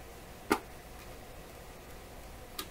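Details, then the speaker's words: AM/FM/shortwave tube radio on the bench while measuring voltages near the output tube: two sharp, isolated crackles over a quiet hiss; something seems loose in the circuit, suspected cause of scratchy AM and shortwave reception, not confirmed. "didn't sound good, did it? Still sounds like there's something kind of loose here."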